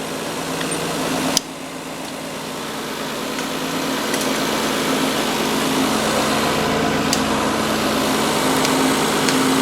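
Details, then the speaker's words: Mazda 626 with a cold engine, after the worn idler pulley, the other pulley and both drive belts were replaced: steady, even, quiet idle with no squeal, chirp or rattle. It is much quieter than before. "Yeah right away I think you can hear that is a world of a difference much quieter than it was last time"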